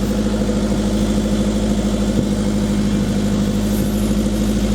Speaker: the timing wouldn't cause it to just misfire from Idol